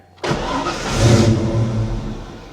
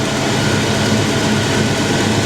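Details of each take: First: 1989 Ford Mustang Foxbody V8 5-speed, brand-new engine, in position five anti-theft mode, meant to stop it running: fires abruptly, revs about a second, sags and dies within two seconds; starts then stalls, raw fuel smell. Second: 1989 Ford Mustang Foxbody V8 5-speed with brand-new engine, basic street tune on 87 octane, heater on, warming up while topping coolant: steady, even low rumble, no rubbing, knocking or squeal; normal idle.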